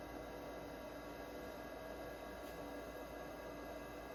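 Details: Old Kalok hard drive in a 286 PC running check disk: steady spindle whirr with faint fine head-seek chatter over constant hum; drive running properly.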